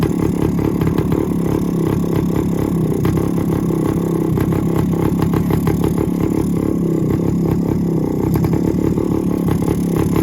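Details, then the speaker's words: 1972 Suzuki TS185 two-stroke after first start in 30 years, new carburettor not yet adjusted, 1971 CDI unit fitted, exhaust leak fixed with two new gaskets, off choke: fast steady buzz idling at about 3,000 rpm; high idle. "it'll run but I haven't adjusted the carb at all so it's running kind of crazy it's idling at like 3,000 RPM"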